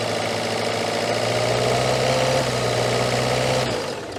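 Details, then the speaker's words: Citroen Berlingo HDi diesel after MAF replacement, bubbles seen in the fuel pipe: uneven, lumpy idle about four pulses per second that never smooths; rough idle, cause unknown. "oh no that is not a Happy Engine at all"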